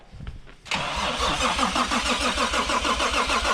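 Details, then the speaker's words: Toyota Supra attempting a first start after about 10 years sitting, not in gear, low on fuel. The starter turns the engine over evenly about three times a second but it never fires; the owner suspects timing, and a leak was found. "It's probably just the timing that It's just the timing."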